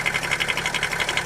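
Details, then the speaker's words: BMW X5 E70 M57 diesel, heard at the open oil filler neck: fast, even light tapping about eleven per second from the camshaft-driven vacuum pump's floating drive coupling; normal, not a fault. "как вокруг это нормальная работа привода слова и привода вакуумного на фото он должен включать потому что он плавают"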